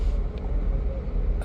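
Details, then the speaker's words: Nissan Sunny petrol engine idling with AC on, no fault codes, during a cylinder check with cylinder 2 disabled: rough, uneven rumble with irregular dips and rpm dropping; engine misfire at idle (one dead cylinder). "तो ये देखें बहुत ज्यादा misfire हुई है। Okay. इसमें ज्यादा miss fire है। और इसके आरपीएम भी जो है वो डाउन हो गए हैं।"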